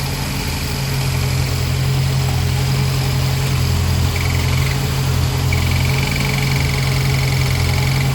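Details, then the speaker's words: 1993 Honda Civic EG Si with an S2000 Clutchmasters clutch installed without the required spacer, idling: steady hum, then a thin high whine each time the release fork is pushed; worn clutch release bearing, problem worse when warm, hard shifting and grinding. "that's me putting uh pressure on the bearing bearing is making noise"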